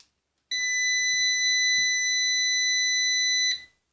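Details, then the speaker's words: Orvaldi INV-12-840W Home UPS being repaired for error F05 and no 220 V output (shorted IRF3205 and KGF75N65KDF transistors). On first power-up with test transistors fitted, a steady high beep sounds for about three seconds. Output 220 V appears, and the tech suspects a low battery. "Ну так 220 появилось Це добре що пищить не знаю що воно пощить"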